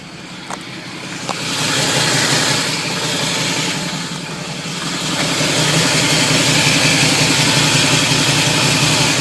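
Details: Camaro idling low: harsh gritty grinding that swells as revs rise, worsening when pulling away and shifting between drive, neutral and reverse; flywheel teeth slightly chipped where the starter meets them, all bolts tight; owner suspects the flywheel, starter or torque converter.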